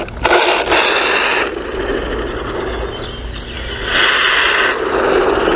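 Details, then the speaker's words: XLF X04a brushless 1/10-scale RC truck with a rear-mounted motor, driving under power. Rough rasping grind in bursts rising with throttle; stripped teeth suspected in the rear gears, which probably take the brunt of the motor torque. "It sounds like the rear gears, which is probably getting the brunt of the original, you know, the torque off the motor, with the motor being a rear mounted. Oh, that just sounds horrible."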